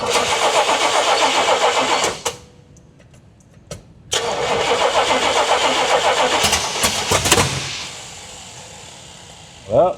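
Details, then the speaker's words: 1979 Pontiac Trans Am V8 cranking after the distributor rotor was turned 180°, the carb bowl refilled and a hot wire rigged: two bursts of ragged sputters that never catch. The firing order was unchecked, and the plug wires were suspected crossed. "I did not check the firing order after all that. So, that could be another thing that's an issue."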